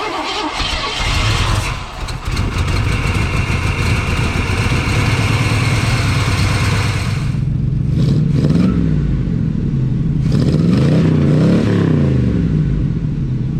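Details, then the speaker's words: Junkyard 1980 Oldsmobile Cutlass V8 running off a boat fuel tank with stuck, non-working carburetor accelerator pumps. Revs are ragged and stumbling and fail to settle into a steady idle while they try to make it idle. "accelerator pumps are stuck they're not working but we're at least going to try to make this thing idle sit here and run"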